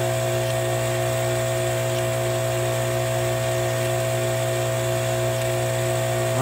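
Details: Kärcher electric pressure washer, 10–20 years old, with intermittent motor noise when fully pressurized; powered on with no visible leaks, expected to stay running under pressure; even, unbroken motor hum with steady tone, no surging or cutting out.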